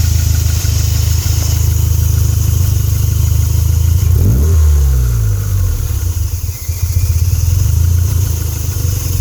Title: Rough idle